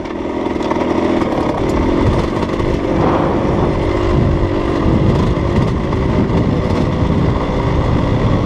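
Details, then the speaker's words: Rekluse auto-clutch two-stroke dirt bike coasting off throttle downhill on a road in proper gear: steady crackly even drone with no slipping or flare; normal engine braking. "Hear it? That's recluse engine braking. Woo, some serious engine braking with the recluse. Still doing it, hear it?"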